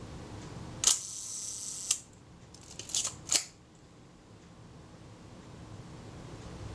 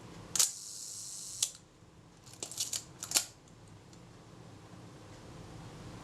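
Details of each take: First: Kodak Retina Reflex type 025 camera during servicing, film release being adjusted. A few crisp shutter clicks, but the quieter second click of the film release never follows the solid first click; release adjustment needs correcting. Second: Kodak Retina Reflex type 025 camera during servicing, film advanced and shutter release pressed very slowly with the top cover held on. Each press gives one crisp snap with no separate early click; film release and shutter fire at the same point, correct timing.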